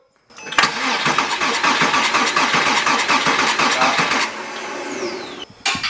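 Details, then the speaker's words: Porsche 987 Cayman S with a suspected spun rod bearing (metal shavings in the oil filter), cranking on the cylinder six compression test. Steady, even strokes. Readings were 210/205/210 psi; the fuel-wet cylinder five was 5 psi down, negligible. "the number five cylinder is the one that had the spark plug that was really wet with fuel it was down five psi on compression so that's negligible nothing serious"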